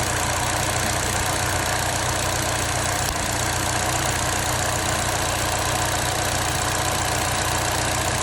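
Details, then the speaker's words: Vauxhall Astra petrol engine idling with a faintly uneven low pulse and steady hiss: the cylinder 2 ignition coil is arcing out, so the spark doesn't reach the plug, causing the misfire. "so we can already see there that that cylinder 2 is aring out and the the spark isn't firing all the way through to the spark plug and that's what's causing our misfire"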